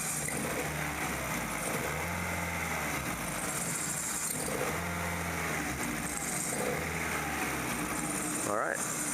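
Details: 1999 Kia Sephia 1.8L DOHC with check engine light on, misfiring and running rough. Uneven, lumpy idle that stumbles irregularly; the misfire was traced to a carbon-tracked spark plug wire.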